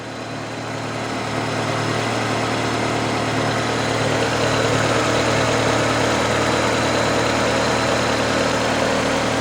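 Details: 1993 Toyota Corolla with JDM 7AFE 1.8 L engine from Engine World, new water pump, filters, seals, oil and coolant: steady even low four-cylinder hum at idle, no knocks or misses; healthy.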